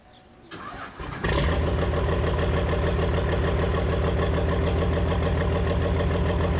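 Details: Cummins-swapped square-body Chevy dually with a VE rotary pump, fuel leak fixed (missing fuel pin): cranks, catches and settles into even diesel clatter; excessive start-up smoke persists, somewhat less than before; owner suspects pump out of adjustment.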